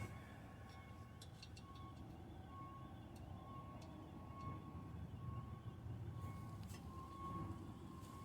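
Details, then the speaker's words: Background squeal from a train yard about 5 blocks away, heard while working on a buggy: railcars with their brakes set are pushed along with the brakes dragging, giving a thin, steady squeal over a low rumble. "squealing you hear in the background is from the train yard. That's, I don't know, about 5 blocks away."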